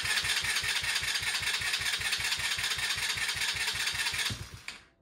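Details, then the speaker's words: Chinese 125cc ATV after top-end rebuild: single cylinder fires in quick, even beats with a crisp exhaust crackle before cutting out; runs cleanly. "All right, guys. Well, as you can hear behind me, the thing is running fantastic."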